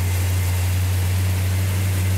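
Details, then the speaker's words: 1972 Duster 340 four-speed V8 at first start from cold, with the choke held and timing advanced slightly: a deep, steady rumble with an even low beat and no knocks or misses. The idle sounds healthy. "You like that, Justin? Sounds healthy. What? Sounds healthy. What? Oh, it sounds good."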